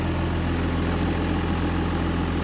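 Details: 2005 Ram 2500 diesel idling after the FASS lift pump and fuel lines were replaced, now pulling from the tank and no longer dying, with no fuel leaks: a steady, even clatter at a constant low idle, no stumbling or surging. A normal idle.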